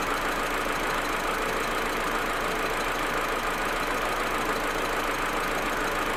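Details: Audi A4 1.8T idling cold: uneven, stumbling idle with irregular dips and loping beat; smooth once warm; plugs, coils, ignition amplifier and broken vacuum hoses already replaced; owner suspects injectors or carbon buildup; cold misfire, cause unknown.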